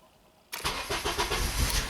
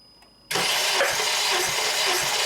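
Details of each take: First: 2007 Honda Accord EX sedan, 2.4L K24 engine, restarting after a compression test with injectors stopped and a PCM reset by scan tool: catches and settles into an uneven, lumpy idle; rough start because idle learn is not yet completed. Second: 2007 Honda Accord EX sedan, 2.4L K24, compression test on cylinder 3 with plugs out, injectors disabled and throttle wide open: even cranking beat of about two pulses a second with no firing; reads about 182 psi.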